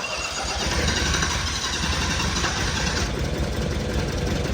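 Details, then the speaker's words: 1972 Honda N600 twin converted to fuel injection, first start on a rough tune without wideband: loud uneven running with occasional coughs back through the intake, idle unsettled; fuel pump also sounds poor. "I put the timing light on it too cuz we get little coughs out the intake every now and then but she's coming she's coming"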